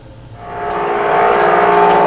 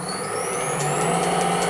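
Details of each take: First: Pre-1907 Hardinge Cataract machine restoration, VFD-driven, roller test: even motor hum with quick regular tick-rattle three or four per second; excessive clearance in roller sleeve bearings, to be replaced with ball bearings. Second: Pre-1907 Hardinge Cataract lathe on a VFD after roller vibration fix, inner bearing races no longer spinning: even hum with faint rising whine and light regular ticks, no rattling, much quieter; tracks okay, slight change in reverse.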